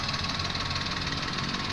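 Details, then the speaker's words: Car engine running while checking a squeal heard at start-up: a thin, pulsing high chirp near the pulleys over steady running. The fan belt and bearings were checked by ear, including down at the compressor, but the source is not yet found. "serta cara mengetahui sumber bunyi berdecit pada bagian mesin tadi kita sudah lakukan pengecekan dari vanbell dan pada bagian bearing"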